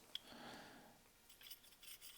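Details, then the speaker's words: Milwaukee angle grinder opened up to fix random shut-offs: smooth metallic whir as the armature bearing is spun by hand, no grinding or roughness; the bearing sounds good and the commutator is not bad. "here's our commutator right here it's not terrible looking bearing sounds good"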